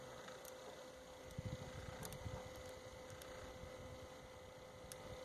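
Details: Sony BDV-E4100 home theater unit cooling fan, heard at night in a quiet room: quiet, steady mid-pitched hum, no wobble or rattle; normal for this model.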